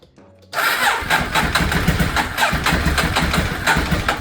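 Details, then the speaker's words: Neglected Ducati 848 first start after Desmo service, timing belts and new stator cover; slow labored cranking about four strokes a second, nearly catching but not firing; owner suspects low battery; long cranking, slow to start. "Okay, I think we are ready for the first start. Alright. Okay. Okay. Maybe just low on battery."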